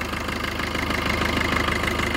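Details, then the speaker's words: Maruti Vitara Brezza diesel after EGR valve cleaning: steady, even idle with regular low thrum, no knocks or rattles; smoother than before, normal. "मैं ये सब एकदम normal भर कर रहा है इंजन में कोई एक्स्ट्रा की आवाज भी नहीं आ रही है"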